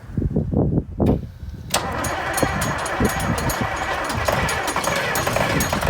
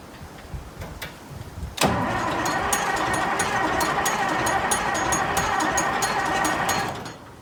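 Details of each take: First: Massey Ferguson 1155 tractor diesel after priming electric fuel pump and getting fuel to filters: a few slow cranking pulses, then catches and settles into a steady, even idle with no odd knocks; good oil pressure, sounds fine. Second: Massey Ferguson 1155 tractor diesel, previously seized, cold day outdoors: starter cranks at a steady rapid beat, about three turns a second for five seconds, never firing; owner attributes no-start to fuel delivery issue.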